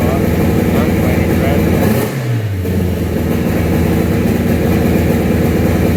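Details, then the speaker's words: 2000 Acura Integra GSR B18C built turbo engine, Golden Eagle sleeves, 10:1 pistons, Scat rods; uneven lumpy running with stumbling beat and dropped pulses as revs dip and recover — misfire, later suspected to be two slightly bent valves. "we had it running went to go get it donald tune and it was misfiring he says the tuner says"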